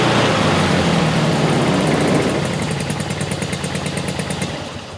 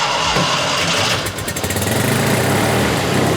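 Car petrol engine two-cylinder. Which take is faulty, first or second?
second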